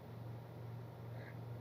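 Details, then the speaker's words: Car with an engine vibration problem, idling right after the AC is switched off. Quiet, low steady hum with an even beat and no shudder or knocking, a big difference from before the repair. "Friends, இப்போது அந்த டிஃப்ரென்ஸை நீங்கள் பார்த்தீங்க, பிஃபோருக்கும் ஆஃப்டருக்கும் வேற லெவலில் difference இருக்குது. என்னாலவே நம்ப முடியல."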